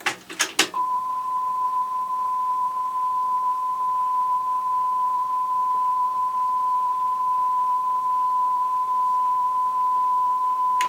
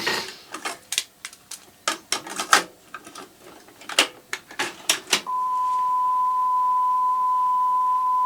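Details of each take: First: Sony TC-WR665 double cassette deck playing a recorded 1 kHz tone in reverse direction after its pinch rollers were swapped: a slight pitch waver about once a second; wow traced to a bulged pinch roller. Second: Sony TC-WR665 double cassette deck, probably early 1990s, previously with once-a-second speed wobble from a bulged pinch roller, after swapping pinch rollers: transport clicks then a clean steady test tone holding pitch, no wobble. Steady tape playback.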